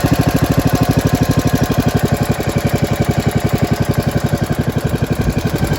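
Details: Modified Briggs & Stratton model 31, 500 cc, head milled 0.080 in, ported and polished, 32 mm flat-slide carb, dual exhaust, 50 lb valve springs, no governor, about 180 psi compression (estimated), on a stand: loud fast single-cylinder chug with uneven hunting beat, from a vacuum leak.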